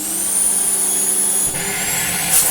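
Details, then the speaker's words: Moulinex E59 vacuum refitted with a scrap Dyson DC25 motor, running at 400 watts: a steady high motor whine with even airflow and no rattles, sounding really good. A slightly odd wind-down may be normal for DC25 motors; the speed control changes little. "a little bit of an odd wind down, but I don't know if that's just what Dyson DC25 motors always have, and I can just hear it a bit more because it's a bit more there. But you know what, that sounds really, really good."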